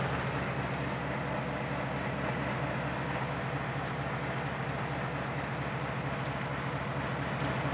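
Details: Fully overhauled Hino 8 diesel engine running under way; steady, even, powerful low rumble with a smooth beat, no knocks or misses; healthy after rebuild.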